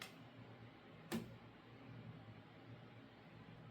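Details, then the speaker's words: Door swinging slowly after its hinge pins were cleaned and lubricated a couple of days earlier: no squeak or creak, just faint room hum and one soft bump; normal quiet hinge. "Here we're at a door where I've gone ahead a couple days ago and I cleaned and lubricated both of the pins. And so, here we can see no squeaking"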